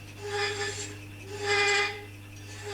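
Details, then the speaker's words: Woodturning thread chasing on the lathe: rasping cuts with a ringing hum and whistle on each pass. The chaser chatters because the chuck stops the tool rest getting close enough; worked nearer, there would be no vibration. "Hear the vibration? If I worked over there you wouldn't hear it, but I can't get it along far enough because of the chuck."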